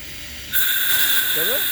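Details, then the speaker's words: Diesel air compressor, tank left to depressurise on its own before opening the valve and starting: sudden steady high hiss of escaping air after a short quiet lead-in; normal pressure venting. "Je laisse juste qu'il se vide tout seul. Après, j'ouvre la veine et je démarre."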